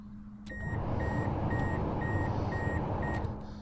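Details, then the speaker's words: Ford Escort HVAC blower after a new ignition switch was fitted, switched with a screwdriver in the switch: a steady fan whoosh comes on and shuts off cleanly, with a low hum and a chime in the background. The blower works normally. "if I stick the screwdriver in it and turn it you should be able to hear the blower motor turn on"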